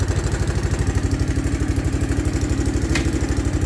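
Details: 1984 Honda Big Red ATC three-wheeler, clean original condition, dead battery so not charging: steady single-cylinder idle thump about three beats a second, even and smooth, no knocking or missing; normal healthy idle.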